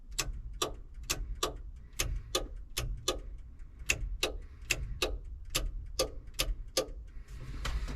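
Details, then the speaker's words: Hesston 6650 with the key on and the master boom switch powered after rewiring: crisp, evenly spaced clicks about twice a second as the hydraulic solenoids energize normally. "You can hear those solenoids clicking, that's good."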